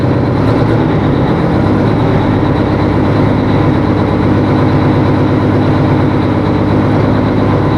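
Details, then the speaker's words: 1980 Peterbilt 359 diesel at first start with fresh batteries: heavy idle with an uneven, lumpy beat, one cylinder dropping out now and then. Owner suspects another lost injector. "poor old trucks running like it ought to be smoother than that I'm not happy with it"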